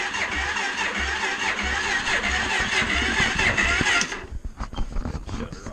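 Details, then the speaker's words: Suzuki LTZ 400 ATV during tune-up, battery tested bad: sluggish uneven starter grinding about two turns a second for four seconds, then quits without firing; dead battery too weak to crank. "wants to crank over but picked up a new battery"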